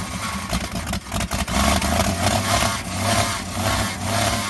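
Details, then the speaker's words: 1967 Chevy C10 with rebuilt inline-6 and TH350 swapped in outdoors, carburetor rebuilt by owner: uneven, lumpy idle with dips and surges before steadying somewhat; rough running, owner suspects torque converter rubbing the inspection plate. "Sounds like the torque converter's rubbing on the inspection plate. Take a little more time and out. I'm happy that it's running. Well, kind of."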